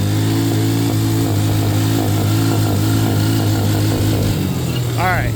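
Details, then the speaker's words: Can-Am DS90X small single-cylinder engine after replacing CDI box and carburetor air-fuel tuning: at wide-open throttle, uneven popping breaks through exhaust note, now immediate and worse than before; backfire under throttle, cause unknown. "So, and the backfire. So, if you didn't hear it, I'll give it to you one more time. At wide-open throttle, you're going to hear it go full, and then I'm not moving my hand on the throttle, but you'll hear it ba ba ba ba"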